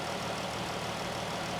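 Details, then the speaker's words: 2014 Dodge Durango 3.6 L V6 at auction, engine bay part missing, A/C not blowing cold: steady even idle with smooth low hum, quiet, no knocks, ticks or stumbles; healthy. "it doesn't look like a h but it's quiet and we're missing this so someone has been messing around here"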